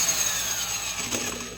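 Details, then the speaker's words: Vintage Black & Decker Super Duty 5/16" D-handle drill cutting wood: smooth, quiet motor whir with light fine-tooth cutting rasp, no gear grind or rattle; normal operation under load. "They're just a nice, quiet, smooth sound. This whole drill just has a really nice, quiet, smooth sound. Really like that about it."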